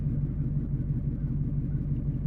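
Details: Truck at idle, no check engine light: low rumble with uneven stumbling beat and dropped pulses, audible plug popping; engine misfire, owner suspects plugs and wires or fuel pressure, not confirmed.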